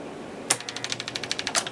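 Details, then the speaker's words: 1961 Seeburg AY100U jukebox mechanism during clutch adjustment: rapid light ticking with louder snaps as the mechanism reaches one end of the track and jams; spring-loaded side pressure adjusters need readjusting. "it just comes up to the one end of the of the track and and jams it's not supposed to do that"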